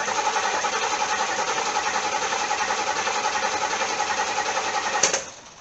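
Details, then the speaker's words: C4 Corvette with Crossfire injection, new fuel pump just installed and primed by cycling the key: steady whirring cranking at about 3.5 turns a second, never fires; cranks no start, fuel pump relay to be checked next. "Nothing. Well, I'm getting a little tired of being wrong, but what can I do?"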